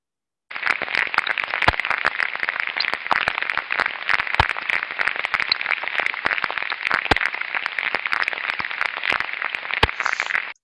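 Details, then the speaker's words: Ultrasound on an extremely slow-speed bearing: coarse hiss with repetitive impacts and crackling, unlike a good bearing's smooth white noise. The bearing's condition is deteriorating. "we start to hear the coar sound we hear repetitive impacting sounds crackling noises that indicate a condition of the bearing is deteriorating"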